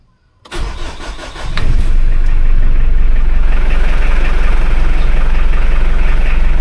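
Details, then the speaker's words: Mitsubishi L200 Strada 4D56 diesel pickup after DIY starter repair (previously clicked many times before starting), in neutral: one short crank, catches within a second and settles into an even steady idle; clean one-click start. "Okay swabe at least Naayos na natin yung problema"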